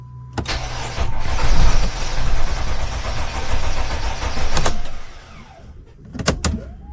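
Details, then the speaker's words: Mercedes Sprinter van 3.0L diesel, after engine oil cooler replacement with coolant and oil refilled: glow plug light goes off, engine fires and settles into steady idle with no knocks or misses; check engine light went off, no dash lights, healthy start. "so right there as you can hear the engine is running and the check engine light went off we got no lights on on the dash so that's good"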